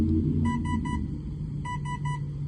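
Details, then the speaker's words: New Avian 80 A 3-8S ESC on a 4S battery (resting 15.6 V, sagging to 13.5 V) at 7666 RPM and 54.75 A: two sets of three short high beeps over the motor hum, presumed low-voltage warning. "Now you can hear it beeping, I assume, because the voltage dropped below the voltage that it should have with 4 cells."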